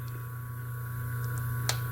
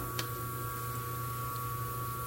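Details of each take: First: Motor fitted with an undersized 7 µF run capacitor: a loud, constant low AC drone that never reaches normal running. Current is 2.2 A and the auxiliary-winding current is very low, so the current lag goes uncompensated. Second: 127 V washing-machine motor on its original 25 µF run capacitor, drawing 2.6 A against its 2.7 A rating: an even, steady low hum with a faint constant whine and no knocks or wavering. The motor is running normally.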